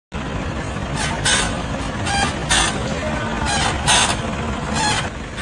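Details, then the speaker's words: Front suspension of a car driven over uneven ground gives sharp rattling knocks about every second; the car was put on a ramp, inspected, and the worn front suspension parts were replaced with new ones. "अभी आपने देखा कि आगे के suspension से बहुत ज्यादा आवाज आ रही थी"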